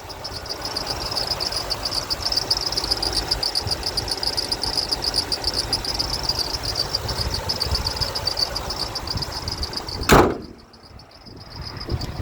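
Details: 2006 Toyota Tundra SR5 RWD, 4.7L V8 DOHC VVT-i, 5-speed automatic, about 240,000 miles, idling with hood open: rapid high-pitched chirping squeak from a slipping or worn serpentine belt; no ticking or missing heard.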